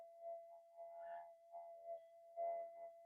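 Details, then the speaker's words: Minelab GPX metal detector on the bench with the threshold turned up hard. A steady, clean threshold tone holds level with only faint background murmur and no chatter; quiet, stable detector. "that's really powering the threshold hard but listen how quiet the detector is"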